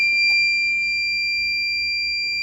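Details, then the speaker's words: High-pitched whine with a faint low hum beneath, heard while zeroing the DRO and centring a part on the machine; the owner says it never made that noise until he took it apart, and the source is unclear. "It didn't make that noise until I took it apart."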